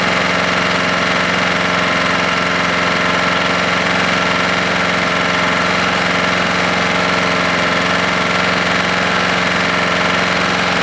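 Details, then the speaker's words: Husqvarna lawnmower engine after JB Weld repair and carb screw adjustment; fast, uneven, ragged clatter, about three to four beats a second, breaking up and quitting on its own; cause unknown. "yep i just quit on its own i could hear it breaking up something's not right here"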